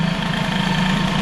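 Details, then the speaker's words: Air-cooled hybrid Peugeot 103 with Airsal 65 after carb idle adjustment: a steady two-stroke idle with an even rhythm and a slight occasional stumble; the owner judges the idle now correctly set. "je ne sais pas toujours est-il que bon ça y est le ralenti c'est bon"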